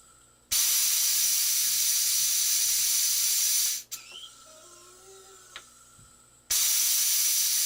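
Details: Challenger 357 air rifle being filled after power valve upgrade: booster pump pushing from 3100 toward 4500 PSI, line warming, no leaks; loud steady high hiss, brief pause, then even resumption; normal fill hiss.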